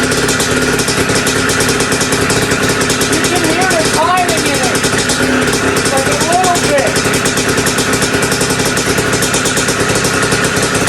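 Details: Two-stroke bike just restarted after top-end rebuild with big bore, head mod and performance gasket: busy buzzing idle with tinny rattle, more compression, idle slightly up. Top-end rattle later found to be just heavy vibration.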